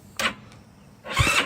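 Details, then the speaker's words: GY6 scooter with a newly installed Shin Yea high-torque starter: two short solenoid clacks about a second apart with no cranking; battery around 12.04 V and dropping lacks the amperage to turn the starter. "it's just not enough juicer turn it over not enough amperage to really get the full potential of the starter motor"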